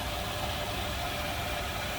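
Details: 1941 Cadillac Series 62 convertible sedan, 346 L-head flathead V8, manual, very stock engine bay, warmed up a little before opening the hood: dense, even idle rumble at a steady level with no knocks or misses. Normal, healthy idle.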